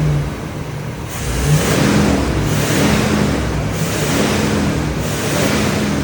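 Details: 1978 Chevy Corvette V8, last on the road in 2012, 50 psi oil pressure: uneven surging beat swelling and sagging about every second; suspected misfire from one or more spark plugs or a plug wire, no internal tapping heard, blue smoke afterward.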